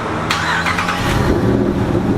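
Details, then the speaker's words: Ram truck Hemi V8 with an aftermarket cam, on the dyno with the stock tune reloaded after another shop's failed tune: brief starter whir, then it catches quickly into a lumpy cammed idle; a clean start. "okay nice start"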